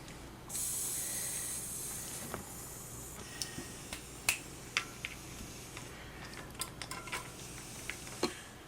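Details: Bicycle inner tube, off the wheel: a sharp steady hiss of escaping air for about a second, then scattered handling clicks; the leak is at the base of the valve stem, an almost impossible place to patch, so a new tube is needed.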